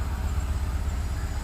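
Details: 2004 Daihatsu Sirion that cranked but would not start, now running after the faulty EFI relay was replaced: a low, steady engine pulse with no misses or stumbles. Normal idle after the repair.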